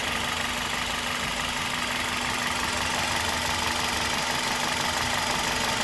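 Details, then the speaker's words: 2003–2007 Toyota Corolla gasoline engine on first start after a partial rebuild, following a long crank from a dry fuel line, mic held near the engine: a steady, even idle with a smooth hum and no knocks, ticks or misses. "Beleza, né, turma? O motor tá ficando redondinho, cara. Olha que beleza."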